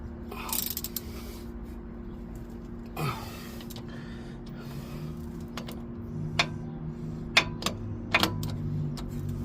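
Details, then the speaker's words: 2004 Ford Explorer front hub after wheel bearing/hub assembly replacement, spun by hand: turns quietly with no grinding or rumble, a good new bearing. "Can you guys hear that? Nothing. That's a good wheel bearing right there."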